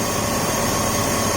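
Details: 2004 BMW 530i at idle after PCV system replacement and refitting a throttle body connector knocked loose: steady, even idle, constant hum, no knocks, misses or hunting; no more check engine lights, runs healthy.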